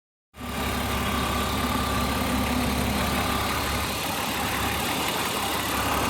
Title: Bmw e36 323 ticking noise.